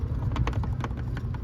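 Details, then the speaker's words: 3rd Gen Toyota 4Runner, new DEPO clear turn signal housing with Auxito 7440 LED, before the gasket swap: light irregular plastic clicks over a low thump as the socket is wiggled. Bulb socket loose, jiggling in the housing. "To remind you guys, if you can hear it, it just jiggles around in there."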